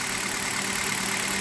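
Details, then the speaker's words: Hyundai Solaris after coil wiring harness replacement, about 2,000 km on Liqui Moly 5W30, cold engine: even steady idle hum and hiss, no shaking, stumbling or knocking; normal cold idle. "четко ровно не тресется не дергается"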